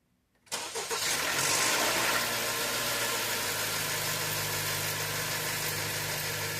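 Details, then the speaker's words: 2017 Honda CR-V, cold start with codes P0341/P0366: engine catches and settles to idle with a dry metallic rattle on start; stretched timing chain, cam phasers uncontrolled during cranking, startup and running. "uh and it looks like that's where all the noise was coming from being that um our phasers cam phasers were not uh uncontrollable during cranking or startup or running"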